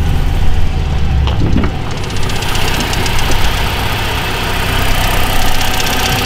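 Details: Pontiac Solstice idling steadily with a light, fast, even tick on top. Source unconfirmed; owner suspects a belt needing lubrication.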